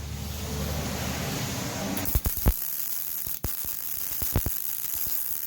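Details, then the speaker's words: MIG welding 5/16-inch beveled, gapped scrap steel plate with .035 wire on a Yeswelder MIG-Pro250, long beads: steady hiss broken by sharp pops every second or so as the wire hits rust, likely leaving porosity holes in the bead. "every now and then you'll hear a little bit of a pop sound and that is me getting into a little bit of the rust so it's impurities and that pop is most likely a little hole in the bead called porosity"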